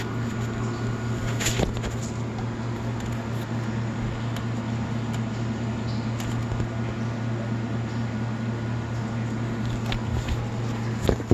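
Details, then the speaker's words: Marathon motor on a reverse osmosis system with a brand-new rotary vane pump, reassembled with wiring as before: steady low hum at one pitch with faint higher ringing and no speed change; humming persists, cause undetermined. "put it back together the same way it was before the wires are all in the right place as far as i know i took a video record of everything and still making a humming noise"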